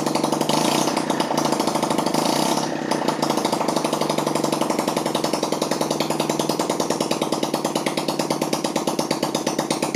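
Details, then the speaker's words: 1982 Honda C70, rebuilt engine with timing reset, first start since the owner has had it, compression looked poor, run with no muffler: sharp, rapid, raspy popping from the small single, a little smoky; loud exhaust from the missing muffler. "all right so there's no muffler on this guy so this might be a little loud"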